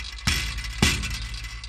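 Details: 2002 Chevy Avalanche 5.3L V8 at idle, heard under the vehicle: sharp metallic clinks about half a second apart from the left-bank catalytic converter; owner suspects a shot left cat rattling, not engine knock, and rules out the flex plate.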